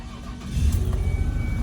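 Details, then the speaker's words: Ford Escape petrol engine starting after repair of a blown-out spark plug (aluminum shavings possibly dropped in cylinders); cranks, catches, settles to an even idle, no misfire, no plug blowing out. "all right, sounds good. Sounds good, sounds real good. Put our hand on the engine, and it doesn't feel like it's misfiring. I don't hear the spark plug blowing out of there."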